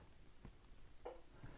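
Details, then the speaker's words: Honda/Acura AC compressor clutch cycled on and off via a Launch Creader Elite 2.0 actuator test, no trouble codes stored. Soft sharp clicks as the clutch pulls in and releases. AC clutch engaging normally. "So, I hear it clicking and it says it's on and off. So, I know my AC clutch is turning on and off."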